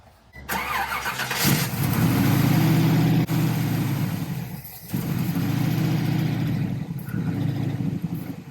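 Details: 1969 Camaro SS V8, unstarted for six years, near operating temperature with good oil pressure, during idle mixture screw adjustment: catches and settles into a low, slightly lumpy idle with an uneven pulse. Rough idle, consistent with a vacuum leak at the intake manifold.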